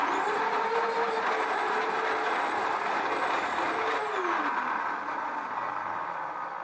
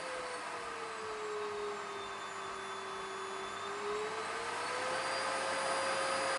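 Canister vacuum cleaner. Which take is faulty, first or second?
first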